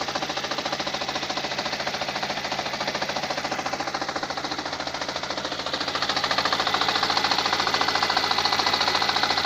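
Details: 2017 Lada Granta, 15,000 km: after pulling away in reverse the car began shaking, check engine light on; fast even knocking about two per second from gearbox over harsh running engine, vanishes with clutch pressed though engine still shakes; cause unknown.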